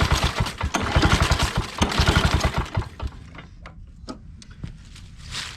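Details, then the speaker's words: Lawn-Boy 10550 push mower, old auction buy said to have compression, choke on, little fuel added, primer effect unclear: rapid rope pulls spin the engine but it never catches, then quiet; cranks yet won't fire; carburetor to be taken apart. "Nothing doing."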